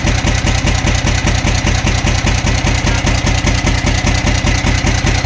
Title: camc engine knocking sound